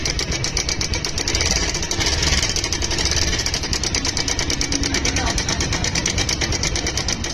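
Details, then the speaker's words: Bajaj Pulsar single at idle right after start-up; quick, even metallic ticking rattle, sharp up top, from a faulty timing (cam chain) adjuster letting the chain slap. "ये जो आवाज आ रही है आपके ये जो timing adjust है टाइमिंग एडजेस्टर के अंदर कोई तकलीफ है इसी वजह से इसकी आवाज आ र"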